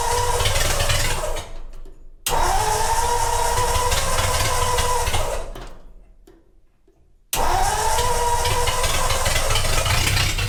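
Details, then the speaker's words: Traditional Ford hot rod started from inside the car after tank repair: ragged, uneven running that dies twice and is restarted, never settling; runs poorly because the gas tank valve was left off. "well i can turn it on from in the car does it run well not really but we can fix that"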